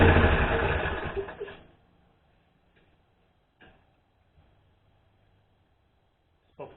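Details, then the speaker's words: Core aerator engine: catches and runs roughly for a second or so, then dies to silence; won't stay running. "Spoke too soon."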